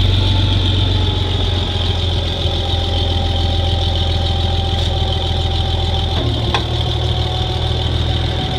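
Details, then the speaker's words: Farmall 706 gas tractor: steady, even low idle with no knocks or misses, normal idle. "but Hank it runs good fire it up for you"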